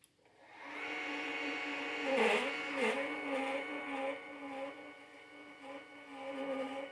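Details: New Celestron telescope slewing in azimuth at maximum speed only: high motor whine with a rough grinding edge that catches and dips in pitch about twice a second, sounding like it's tearing itself apart.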